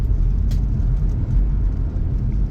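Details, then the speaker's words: 2000 Chrysler Grand Voyager SE, off the road for over 8 years, warmed up and driving: steady low road rumble with the engine pulling evenly, no knocks or surges; drives smoothly and sounds healthy. "I just know this thing's driving really, really nice."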